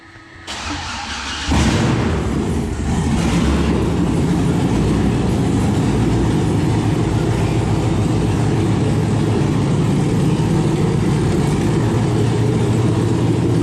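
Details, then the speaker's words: 1971 Impala donk with LS swap, block getting only seven or eight volts while cranking until a jump pack was wired to the block and a ground; brief crank, then the V8 catches at once into a deep, even idle, with oil pressure. "well this block is only getting you know seven or eight volts while cranking and we hooked up this jump pack to the block and then to a ground that I have and the car fired right up"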